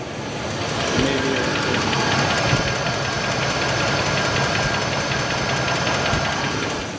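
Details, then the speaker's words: 1986 Cadillac Fleetwood Brougham funeral car, Oldsmobile 5.0 V8, 88,000 miles, after head gasket job, lifters cleaned but rockers worn: low idle with light quick ticking, louder as RPM lowered and oil pressure drops. Lifter tick. "There was a slight tick in a lifter. not going to worry about it. It gives it character."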